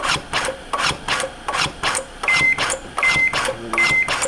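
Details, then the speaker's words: AutoPulse automated CPR device set to 30:2, compressing automatically after measuring patient: steady rasping compression strokes around 80 per minute, then three beeps cueing ventilation; normal automated compressions. "if I don't do anything now it starts to compress and it'll do that now right now it's set for 30 to two so I'll do 30 compressions tell me I need to ventilate"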